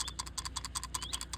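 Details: Can-Am X3 axle CV joint, removed and degreased, flexed by hand: light, sharp metallic clicks about five per second, loose balls moving in a worn CV joint; suspected, not confirmed.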